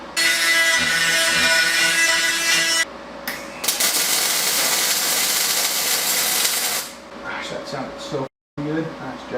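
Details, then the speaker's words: YesWelder DP200 MIG welder on a 1988 Honda CR500 frame: two long runs of even, frying-bacon crackle without pops or sputters; wire feed and arc well set, producing a good steady weld. "That one was good. That one was really good."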